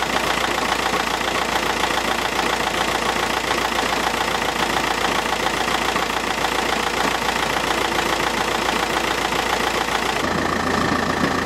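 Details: 2009 Audi A3 1.9 TDI Sportback, BLS engine, KBL gearbox, about 160,000-167,000 miles, recorded outside the car: steady diesel idle in neutral, foot off clutch, with constant metallic rattle underneath; worn dual mass flywheel, gone after flywheel and clutch replacement.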